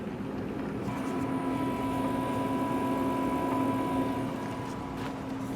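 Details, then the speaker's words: Tesla with cold LFP battery at about 3.5–5.5 °C, parked charging at 44% around 18–19 kW, rate limited: faint steady high whine over low hum as the rear motor/inverter draws 2.5 kW to heat the battery; normal. "the rear inverter is still going at 2.5 kilowatts to heat the battery."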